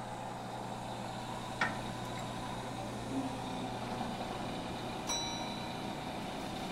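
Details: Two old gas pumps, a clock-face pump and a Gilbert & Barker 80, running at the same time and pumping diesel: smooth, constant motor drone with a couple of brief metallic clicks from handling. The clock-face pump seems to pump faster; both run normally.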